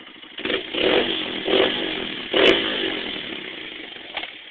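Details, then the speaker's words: Honda CRF100F dirt bike with FMF exhaust: crisp single-cylinder bark with a few sharp throttle blips settling back to idle; normal, healthy free-revving running. "Yep this is what this is what she sounds [Applause] like"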